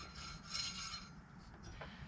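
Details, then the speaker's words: 1988 Chevrolet Suburban Harrison R4 AC compressor on engine, after front shaft seal replacement and clutch gap set paper thin: pulley spun by hand gives light dry rasp with few clinks; clutch slightly rusty from sitting, should wear in. "there's a little bit of noise there because clutch got a little rusty sitting there you know it'll wear in it'll be fine"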